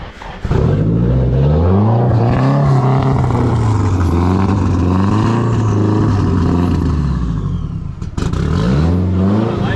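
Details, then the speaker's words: Nissan S13 drift car with turbo SR20DET, just started after sitting all winter, jump-started from a small Miata battery: idling unevenly, beat hunting and stumbling; rough running blamed on the MAF, swapping in another MAF. "Running a little rough, so we're gonna try and throw another MAF on it, which means we might have to pull the MAF off of Fran's car."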